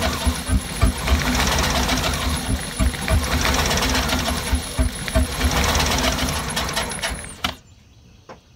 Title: Escalade misfiring